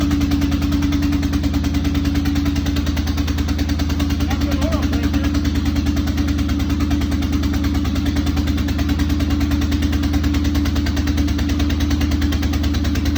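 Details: Corvette with major exhaust leaks at idle: steady idle with a rapid, even ticking puff about three per second riding over the exhaust drone; exhaust leak.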